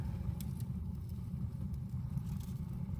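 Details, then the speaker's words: Jetmaster fireplace, paper lit inside flue first with damper plate fully open: low steady rushing roar with faint crackles, strong draught up warming flue, normal and nothing to fear. "As you can hear it roaring. Don't be frightened of that. People get scared of that,"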